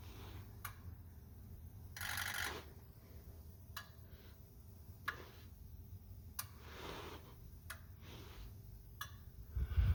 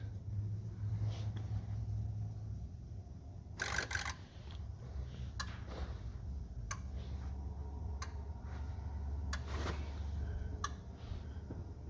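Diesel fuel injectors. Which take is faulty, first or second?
first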